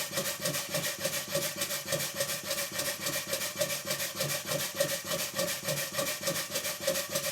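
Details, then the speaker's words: 2-inch scale Fowler traction engine, run after fitting a new flywheel key and a proper crankshaft taper pin: a steady knock about three times a second, locked to each stroke, quieter than before but still there; worn motion work still to be repaired. "the knocking is not quite as bad as it was but it's a long way to go just yet"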